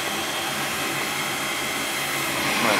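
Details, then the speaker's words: Goodman gas furnace on a no-heat call, after cleaning the flame sensor and port and cutting back the pressure-switch hoses: steady airy inducer blower rush, then a soft whoosh as the burners light; normal start. "so we'll see it should start glowing and it should fire"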